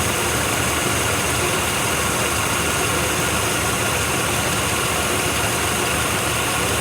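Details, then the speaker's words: 1993 Chevy 1500 small-block V8, first run after sitting 16 years with new battery, running on its own fuel pump: even, steady idle with no knocks, ticks or loud noises, not smoking; sounds healthy. "It's not smoking anymore. No smoking. No knocks, no dings, no loud noises from the end."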